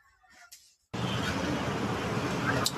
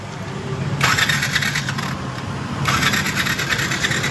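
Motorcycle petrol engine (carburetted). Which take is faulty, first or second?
second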